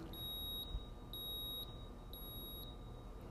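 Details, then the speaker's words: 1993 Ford Mustang GT, EEC-IV key-on engine-off self-test: high half-second beeps repeating once a second over quiet hum, reading stored code 33, EGR valve not opening properly, after 11 no current codes; known EGR vacuum connection problem. "all right so that's our key on engine off test no current codes and a code 33 is stored I'm going to go to our list of codes in the book and we'll look up 33 EGR valve not opening properly"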